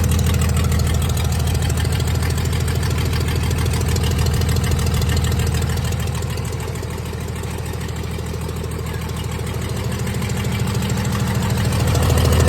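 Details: 1996 Dodge 2500 diesel idling cold, still burning off oil after turbo failure: steady clatter about 200 beats a minute, slightly uneven; shakes and idles rough cold with a tick, smoother once warm.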